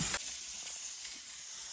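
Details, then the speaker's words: Stovetop pressure cooker sterilizing oat grains, nearly at 12 psi, weighted regulator set at 12 psi about to rock: steady, even hiss of steam venting; normal pressure build-up before the weight starts rocking. "All right, so we're pretty much almost at 12 right now. You can see and hear that this weight is just about to put on a show for us."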